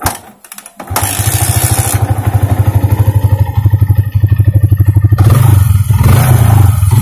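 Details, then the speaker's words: Yamaha Vixion fuel-injected motorcycle with hesitation when opening throttle: lumpy, unsteady idle, single thumps about three a second of uneven strength; fuel pressure measured about 25–30 psi, around 2 bar, somewhat weak; dirty fuel pump or clogged injector suspected, pump replacement recommended. "Ukurannya sekitar di atas 20 ataupun 20, sekitar 25 sekitar 2 bar ya ataupun 30 PSI. Jadi udah agak lemah, tapi suara berebutnya udah agak hilang, udah agak bagus ya."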